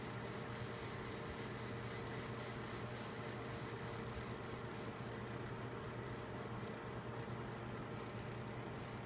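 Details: Gigabyte G1 GTX 1070 graphics card fan defect: steady rough grinding whirr with low hum underneath when fans reach around 50% of max rpm.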